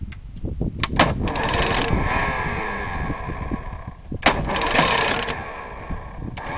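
Repeated starter cranking bursts with uneven, sputtering turnover and no sustained firing; the outboard cranks but never catches.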